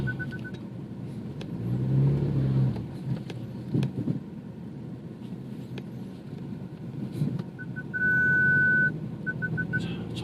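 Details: BMW 428i after fixing forward/reverse clunking without replacing parts, slow parking maneuvers rolling downhill: parking-sensor beeps and a low even rumble, no suspension clunks at all.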